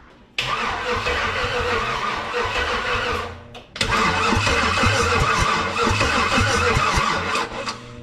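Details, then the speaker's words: 1948 Dodge rat rod with LS swap, good strong spark confirmed: two long bursts of slow, even cranking with no catch or firing, then drops away; crank no start, suspected no fuel. "so it cranks it's slow but it cranks it has spark for sure it looks like good strong spark according to that spark plug so even though it's cranking slow that to me should still at least pop if it's getting fuel"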